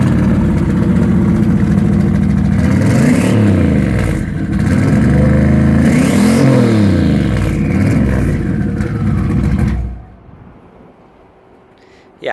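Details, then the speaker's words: Corvette (Student Driver car) started after breaking while parked: V8 cranks and catches into rough surging revs for ten seconds then cuts off, oil splattering from exhaust; fuse apparently not the issue, likely a failed dry-sump scavenge pump. "I think we got the issue. The issue is the scavenge pump, which is down there, and you can't really see it."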